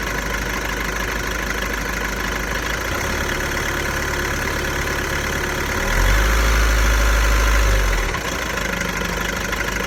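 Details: VW Golf 1.6 TDI diesel, 90,000 km, idling with a steady, fairly regular rattling beat that persists through a short throttle blip; owner suspects the dual-mass flywheel, not confirmed.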